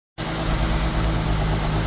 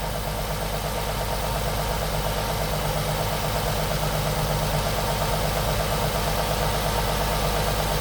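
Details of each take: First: Nissan 350Z HR petrol engine at idle: faint steady hiss and unstable rpm from a vacuum leak at two open bolt holes; closing the holes steadies the idle. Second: Nissan 350Z HR V6 after closing the two open bolt holes that caused hissing and unstable idle: steady, even idle with no hiss.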